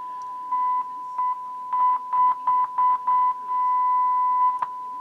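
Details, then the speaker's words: Realistic STA 2100D amplifier back under warranty, fed by a signal generator into speakers while the board is tapped: a steady mid-pitched tone cuts out and back in short bursts. A bad connection at a failing pink capacitor. "so yeah that's our problem right here is these capacitors these pink capacitors are failing on me"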